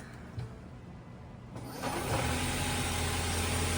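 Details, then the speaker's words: 2018 Ford Fusion Hybrid after replacing the squealing HF35 transmission (failed stator bearing): starts and settles into a steady, even engine hum with no squeal or whine; normal running after the repair. "Nice and quiet. So, you hear more engine noise than anything else."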